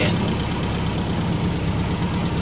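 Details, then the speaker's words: MGB under restoration, carburetors just refitted with new seals, air filter off, in light rain: steady, even low idle with no misses, hunting or surges, no exhaust smoke. Clean normal idle. "Sounds good. Idling perfect. No smoke coming out of the exhaust. Really looks good."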